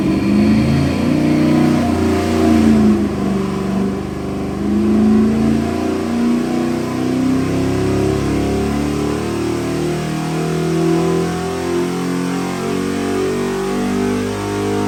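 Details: Custom LS 441ci 700hp V8 for a 1969 Chevelle Malibu, re-sleeved Dart block, Eagle forged rotating assembly, Mahle forged pistons, Holley fuel system, fresh build on the dyno: strong even rumble climbing and settling through revs, no knocks or misses; normal running.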